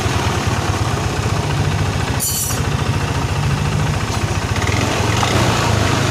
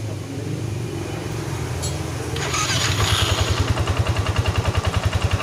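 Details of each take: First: First-generation Yamaha NMAX with an ISC sensor, running untouched: a fast, steady pulse that never drops to a slow idle while the rear wheel turns on its own with no throttle. High idle from a broken idle speed control spring. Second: First-generation Yamaha NMAX after the ISC sensor was modified with a hose and refitted (before, idle rose high 10-20 seconds after starting): the starter spins, it catches after about two seconds and settles to a steady idle. Normal start and idle.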